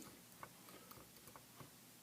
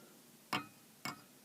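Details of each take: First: Pratt & Read keyboard in a vintage CAT synthesizer after replacing the dried, brittle rubber key bushings: soft, light clicks as keys go down and return, no clacking or rattle; quiet action with nice tactile feel. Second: Pratt & Read synth keyboard (CAT, Moog, ARP): three sharp, bright clacks as keys hit their stops, the brittle, dried-out rubber key-stop bushings no longer cushioning the key, so it strikes a hard surface.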